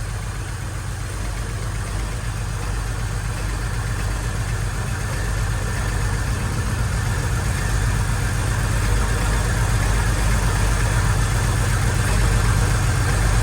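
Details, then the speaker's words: Holden VY Calais L67 drift car, failed at Winton: steady but uneven lumpy idle with faint rattle; exhaust temps cold on cylinders 1 and 3; dead cylinder. "So you can hear it's running rough. And I don't know if you can hear it, there is a faint rattle."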